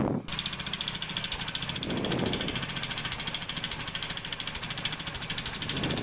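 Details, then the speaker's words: Honda Supremo motorcycle engine idling with a fast, dry cricket-like chirping chatter over the exhaust beat; worn, damaged rocker arm roller and camshaft found on teardown. "maingay Okay mga boss narinig niyo yung tunog mukhang rocker arm to mga sir"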